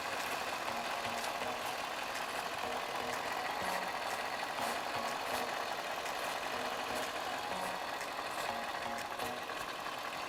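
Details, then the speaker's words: 2004 Cadillac SRX idling, engine bay checked for vacuum leaks before cleaning the mass airflow sensor: the idle stays even with no surge or dip, only light ticking. No vacuum leak heard. "I don't hear any vacuum leaks around the engine bay."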